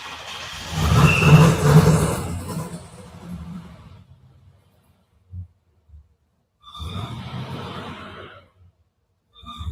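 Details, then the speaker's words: Limo with a custom exhaust of two resonators and two big mufflers, idling poorly and stalling as voltage runs out (not charging, idle air control issue): deep booming roar that dies away, then sputters back in short bursts. Excessively loud aftermarket exhaust. "you can hear how quiet it isn't uh even though the request was for quiet there are two resonators and two big muslers on there"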